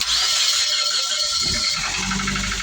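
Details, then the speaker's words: 2014 Suzuki Swift Dzire, sat a month with crank-no-start from lost ECU communication, after ECU repair: starter whirs briefly, engine catches and settles into a steady, even idle; normal engine start. "yeah the ECU now is fixed and working [Music] properly success and now the owner is happy he can finally use the [Music] car"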